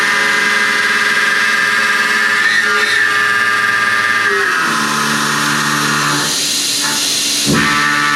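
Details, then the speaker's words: High-feed end mill on an extension at long overhang, taking 0.050 in deep roughing cuts with a large stepover; a high, sustained squeal with buzzing chatter underneath, produced deliberately; tool vibration that roughens the finish and makes tolerances harder to hold. "yeah there it is again I'm doing this on purpose for roughing pass you're going to get some squealing sometimes but remember squealing means vibration and not only is that going to give you a much rougher finish"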